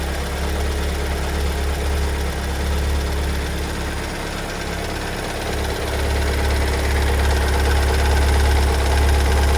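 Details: 2022 Kia Sorento 2.2 diesel (MQ4), cold start after two weeks in Kia service, idling with a steady heavy knock about four beats a second, never behaved like this before: engine knocking at cold idle.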